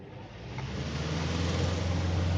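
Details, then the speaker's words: Vibrating air cooler fan after balancing the blade with a small weight (an extra half-gram weight had caused noise and was removed): low even hum building as the fan spins up, no wobble or thumping; runs smooth with no vibration. "ये देखिए आवाज़ बिल्कुल स्मूथ है, यानी कि वो आप देख सकते हैं ये आधा ग्राम का वार्सल भी बर्दाश्त नहीं कर रही थी मोटर। अब देखिए बिल्कुल स्मूथ चल रही है, अब इसमें कोई वाइब्रेशन नहीं है।"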